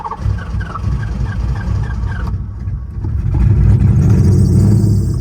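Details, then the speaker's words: VH45 V8-swapped Nissan 240SX after new engine harness, recorded on iPhone internal mic: brief choppy cranking then catches into a deep, even rumble; starts and runs fine, owner says it needs fuel. "And there it is. Just need to get some fuel to it. Sounds freaking good. I love this car. That VH45 is real when it has power."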